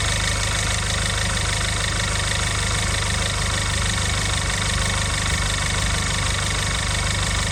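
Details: Audi A1 1.4 TFSI (CAXA, standard four-cylinder) during full filter and NGK spark plug service, refilled with about 3.5 litres oil; steady, even idle with smooth low hum, no knocks, ticks or hunting; engine running normally.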